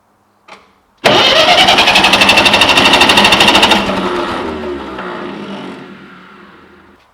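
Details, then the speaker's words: Ferguson TE-20 grey tractor with some PVO in it: starter turns engine evenly about three beats a second, never fires. "So, I've hooked up another battery and uh what's happening is whenever the uh starter lever is pressed forward, the ignition switch is going out."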